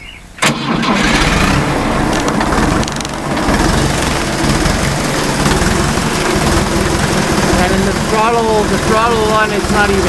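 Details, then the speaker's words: Old Fiat 352C diesel farm tractor with new pistons and rings, refurbished fuel injector pump and alternator, new glow plugs and filters: catches within half a second of cranking, settles into steady even clatter; starts cleanly. "so we're gonna give this a little Reb try here or the camera down here but she should fire I'm really easy"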